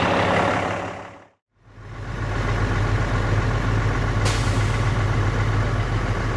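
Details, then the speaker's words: Used dump truck diesel idling while building air: sudden sharp hiss of air as the governor cuts out, at about 125–128 psi against a normal 100–120 range; normal cutout purge. "So you heard that perspire of air. That's basically the cutout pressure, so it looks like it's more like a 125, 128."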